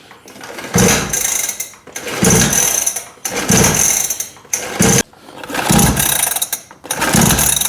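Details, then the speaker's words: Small quad that won't start: six rasping recoil pulls about every second and a half, engine never catches; flooded engine, spark plug found wet with fuel. "Bon là, on vient d'enlever la bougie. Regardez, regardez. Voyez ce que je vois ? Ah ça va pas. Elle est mouillée. Ah donc elle est noyé."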